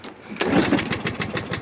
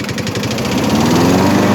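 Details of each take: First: Briggs mower engine after converting a plastic carburetor from primer to autochoke and cleaning it, run with the air filter off. It sputters and stumbles roughly on first start, then runs fine; old oil comes out of the vent hose. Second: Briggs & Stratton small single-cylinder engine with plastic carburetor converted from primer to autochoke and cleaned, air filter off; runs rough at first start, then catches and settles into a steady, even drone; oil coming out vent hose.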